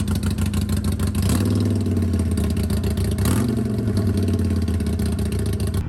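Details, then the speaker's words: 2022 Harley-Davidson Sportster Iron 883, about 1600 miles, stock exhaust refitted in place of Rinehart slip-ons: deep, even, lumpy firing pulses swell smoothly as revs rise and settle; quiet stock V-twin exhaust, normal exhaust note. "I went ahead and put the stock exhaust back on so this is what it sounds like with that sewing machine of a stock exhaust"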